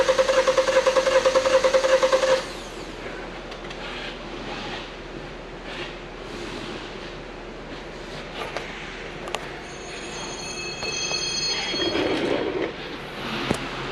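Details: 2015 Hyundai Santa Fe Sport 2.0 L turbo, 200,000 km, rough idle and check engine light, scope relative compression test while cranking: about two seconds with a lopsided beat, one stroke easy. Low compression in one cylinder.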